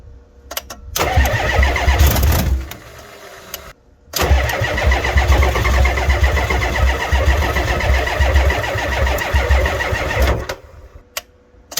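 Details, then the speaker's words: Ford F350 7.3 IDI diesel at about 15°F, weak batteries on charger booster, some glow plugs suspected bad: slow labouring crank in two bursts, briefly tries to catch then dies. Cranking, no start. "well, she wanted to go, just wasn't quite enough. We'll have to let those batteries charge up and try it again."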